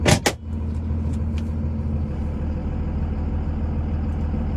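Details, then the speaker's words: 2001 Dodge Ram 2500 4x4, 5.9 Cummins diesel, 6-speed manual, 81,000 miles, fully serviced, pulling away: steady low diesel rumble with no judder or chatter; exceptionally smooth clutch engagement that doesn't grab or shudder. "Truck has a exceptionally smooth clutch let out. It doesn't grab or shudder or anything."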